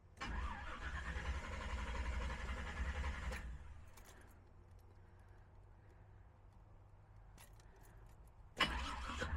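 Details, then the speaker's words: Engine just fitted with Aces Killshot Fusion fuel injection, first start attempt: long steady crank about four turns a second for three seconds with no firing, then a second crank; fuel not yet primed up to the throttle body. "I didn't have enough fuel up to the throttle body at first, so sometimes you gotta crank it once or twice."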